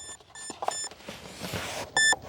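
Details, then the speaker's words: Arrows BAE Hawk 50mm EDF jet on a 4S pack (meant for 3S) after a 52-second flight, one cell sagged to 2.9 V. With the motor silent, the ESC gives bursts of short, shrill beeps: low-voltage cutoff. "as you can hear the ESC is like no soup for you"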